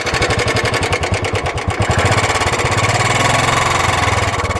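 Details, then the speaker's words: Royal Enfield Classic 350 motorcycle, parked a month and rusted after rain, sound changed since a Yamunotri ride: quick single-cylinder idle thumping with a loose clattery edge; abnormal engine noise, cause not yet known. "आवाज जो आ रही है ना बिल्कुल different आ रही है।"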